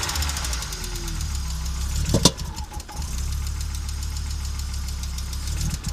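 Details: Audi Coupe after swap from NG to AAR engine, hard starting and engine dying while driving: idle hunts and stumbles with uneven beat and a sharp pop, many misfires, running rough; cause unknown, owner seeking tips.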